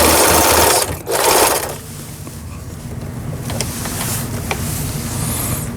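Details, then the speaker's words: Very old Singer Merritt SR8 110 V sewing machine, apparently unused about ten years, after repair: light, quick needle clatter at a fairly even pace, a couple of stitches a second; zigzag stitching working normally. "지그재그라 그러죠. 지그재그 하는 거. 지그재그 바느질이 되고"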